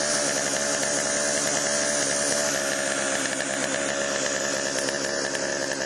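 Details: Chainsaw after Texas ice storm: high buzzy steady speed with no misfire, surging or dying; could be fine-tuned but ready to go, bar oil pumping through.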